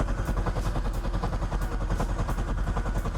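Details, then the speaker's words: 2009 C6 Corvette after oil change, lube mode so engine cranks without starting to build oil pressure and prevent dry firing: steady even cranking about three beats a second, never fires; normal. "All right guys, and again, I'm gonna activate lube mode so the car just turns over but does not actually start up."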